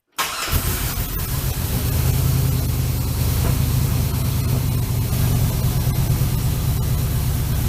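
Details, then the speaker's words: 1965 Chevrolet C-10 with LS swap, P0300 misfire, after new coils, plugs, injectors: idles with irregular stumble, still missing; misfire persists. "Still hearing some missing, but let me let it run for a second. I don't think that made a difference."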